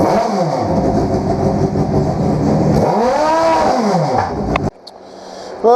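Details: 2000 Suzuki Hayabusa GSX1300R, sat indoors a year, reassembled: fires right up on the starter, sweeps cleanly up and down through a couple of revs with crisp throttle response; healthy start and rev.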